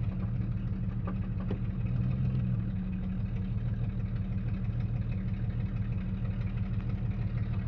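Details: Jeep Cherokee XJ 4.0 High Output: low steady drone with uneven rumble through idle and revving; noise traced to the torque converter, not the engine.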